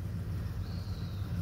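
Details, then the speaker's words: Ford F150 after getting swamped in a mud hole, with a couple of wet ignition coil packs: low, lumpy idle with an uneven throb and dropping beats, running on only some cylinders. "The Ford's got a couple wet coil packs, so it's only running on a couple cylinders."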